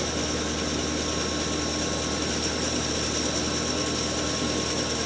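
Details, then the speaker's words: Restored 1925 Oliver bandsaw at first start, doors open: smooth even hum, steady high whir and airy rush from the spoked wheels, no knocking or wobble; running smoothly with very little vibration. "Man, I wish you guys could be here to feel the wind coming off those spokes. running so smoothly."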